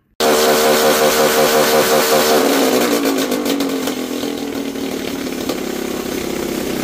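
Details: Small engine fitted with a carburettor replacing a throttle body/injector, on 20% ethanol petrol: bursts into life at high speed, then sags and stumbles irregularly; misfire, owner blames carb float overflow, mismatched wiring and ethanol, unconfirmed.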